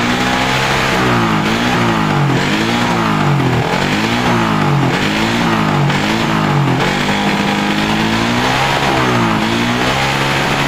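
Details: Suzuki Satria FU 150cc after tightening loose ignition coil socket: repeated blips rise and fall cleanly with no stutter; misfire on acceleration cured, normal revving.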